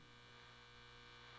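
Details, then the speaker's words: Nordmende Othello Z 320 valve radio on broadcast band with ferrite antenna: steady low mains-type hum, faint hiss, pulsating buzz, no station received; cause not yet found, output otherwise distorted. "but static and a pulse. It's pulsating. I don't know if you can hear it. Buzz, buzz, buzz."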